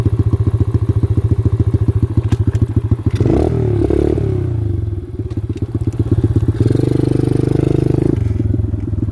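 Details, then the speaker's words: X-PRO dirt bike while riding trails: uneven single-cylinder thumping that stumbles and surges with throttle changes; suspected carburetor problem. "Something's going on. Something's going on with this carburetor, man. It never does that."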